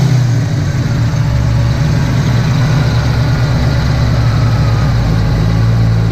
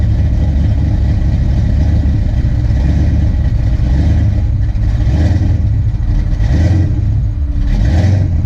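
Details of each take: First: Ford Fox-body V8 with big cam, after fixing surging idle by setting timing by ear (harmonic balancer slipped, timing marks off): deep, even idle about 900 rpm with headlights and AC on, holding steady. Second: Ford Fox-body Mustang LX with a big cam, lumpy V8 idle surging up and down every second or so; ignition timing set too far advanced; TPS tried, distributor pulled to reset timing at top dead center.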